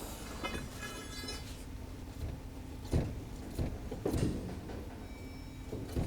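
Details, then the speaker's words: 2012 Lincoln MKZ (3.5L V6) on a lift, rough ride complaint, front wheel levered upward with a steel bar: dull isolated clunks over quiet shop hum, a front suspension clunk before inspecting components by hand. "can hear the clunk again now it's time to lift the car even higher in the air"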